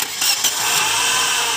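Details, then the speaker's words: Engine idling with the power steering belt removed but the other belts still on; the noise persists. Steady high-pitched whirring hiss over idle; suspected AC (compressor) bearing, alternator bearing or tensioner, traced to the AC compressor pulley bearing. "Palagay ko nandito ang maingay sa aircon bearing, ay sa alternator bearing o kaya sa compressor o kaya dun sa tensioner."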